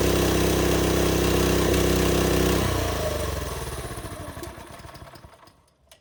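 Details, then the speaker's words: TrailMaster go-kart engine that sat over winter, after blocking the intake to suck the carb jets clear: runs steadily under three seconds, then stumbles and dies, won't idle; clogged carb jets, carb to be removed. "So it actually, it's just not one to idle, which means the jets are clogged."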